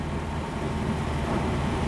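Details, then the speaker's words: Truck converted to run on wood gasifier fuel, all four wide open after fuel starvation: steady, fast, even engine drone with no dips, idle well above normal; idle speed set too high and needs adjusting. "oh the idols way higher though well that's something I'm gonna have to adjust there folks it's making my Idol rev extremely high"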